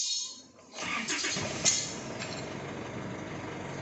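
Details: Isuzu Altera diesel with hard starting and stalling from a defective fuel filter and suction control valve; brief silence, then catches cleanly and settles into a steady, even idle with no stumbling or stalling.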